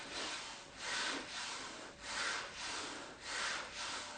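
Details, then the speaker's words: ATX MPHR 780 Smith machine bar sliding on its guide rails: soft, even rolling hiss of the internal ball bearings with no catch or grind. Normal smooth bearing glide. "I mean, you can hear how it sounds. You can hear the ball bearings inside there, right?"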